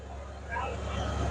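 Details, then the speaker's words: 1990 Ford Bronco, 5.8L 351W V8, after ECU repair and fixing a large vacuum leak: steady, low rumble at even idle, no hiss or hunting; normal. "But boy, it sounds good idling."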